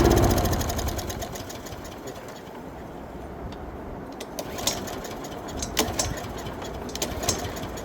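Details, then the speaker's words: Lawn mower unstarted for 4–5 years, with four-year-old gas in the tank, catches with a brief loud burst then sputters and dies within seconds; fuel starvation from a blocked carburetor. "We got gas in it. So, let's try and start it. But this is gas. It's four years old."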